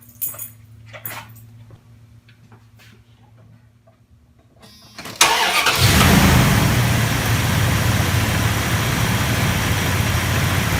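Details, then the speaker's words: Truck whose battery wouldn't hold a charge over a day, just charged with a Topdon Tornado 4000 4A charger: brief firm crank, instant catch and even fast idle. It starts up really strong. "Okay, that sounds like it's starting up really strong."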